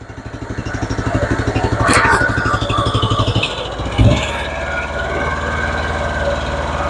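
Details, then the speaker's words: Car engine with a confirmed misfire, running and then revved: stumbles badly and shakes visibly, with uneven, lumpy exhaust pulses instead of a smooth rising note. "stumbling real bad you can see it it's moving you can even hear it all right what happens when you try to rev it"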